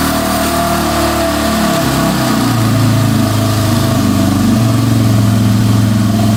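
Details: 2005 Yamaha TTR250 that had sat for years without starting, after replacing a too-long carburetor needle that blocked fuel: crisp, even exhaust beat climbs cleanly on the rev and settles back steady, no ticking or misfire; normal running.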